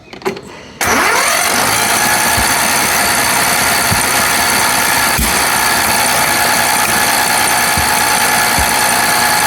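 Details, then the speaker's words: Recovered lawn tractor being restarted on a borrowed battery with jumper clamps: runs roughly with irregular metallic clacks about every second, no smoke from exhaust, exhaust seemingly coming out the carburetor; owner suspects a stuck valve. "Quand même des bruits de ferraille là-dedans. Ouais. Oh là. Il y a un truc qui va pas du tout."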